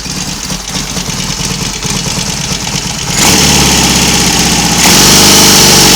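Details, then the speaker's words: Royal Enfield Constellation twin running on one carburettor, throttle cable slightly snagged: settles into an even, steady idle that picks up cleanly as it warms, no knocks or misfires; running nicely for the first time. "anyway enough of my Waffle it's running nicely for the first time since it's been here that's got to be a good thing"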